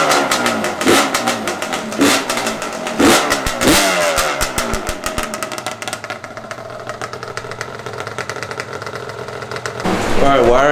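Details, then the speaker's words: Yamaha Banshee 350 two-stroke, first start after gearbox rebuild (new clutch, water pump, reseals, new head domes for a coolant leak), radiator not yet fitted; crisp crackle with sharp rev blips climbing and dropping cleanly, settling to even burble; sounds good, healthy revving. "oh yeah she sounds good this is the first time this bike has been running"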